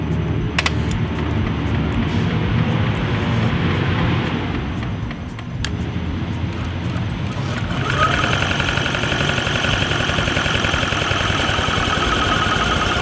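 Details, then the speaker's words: Metropolitan first start attempt after bad gas, stuck throttle cables and fluids addressed: cranks with scattered uneven firing pops that never catch; spark and fuel present, mixture poor from a damaged carburetor with stripped bolts. "okay you can definitely hear it firing the uh okay definitely hear the sparkle going off so that's we got everything we need spark is working fuel is working now we just need the mix to work"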